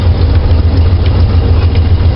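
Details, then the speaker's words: 1968 Pontiac GTO V8, true cold start after sitting a while, choke pushed in partly to hold fast idle: deep, steady, even rumble with no misses or knocks, a healthy cold fast idle. "Now I got to push this back in a little bit. Got to push the choke in a little bit. That'll keep the fast idle going."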